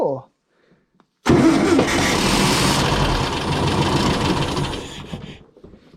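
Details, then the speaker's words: Long-stored air-cooled VW engine from an old workshop, first start on a starter button with the choke pulled: brief cranking catches at once into a steady rough idle, no clacking or knocking, then dies, probably out of fuel. Normal start and idle. "She's a runner. Cool. How cool is that? I mean, I need to pull the choke to get it running."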